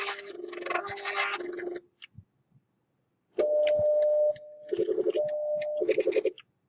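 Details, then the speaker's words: Stepper motor on a linear actuator fed serial commands: steady stepper whine, then choppy on-off stuttering bursts as stop is pressed repeatedly; without edge-triggered contacts repeated queued commands load into the driver, making the carriage stutter. "press it several times and you want to see if you can kind of watch and carriage actually do a little stuttering when I'm trying to stop"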